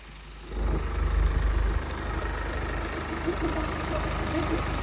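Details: 2014 Jeep Wrangler JK 2.8 CRD diesel, about 99,000 km, started after an oil and filter change: it catches and settles into an even, low diesel clatter with no ticking or knocking, no leaks; a healthy idle.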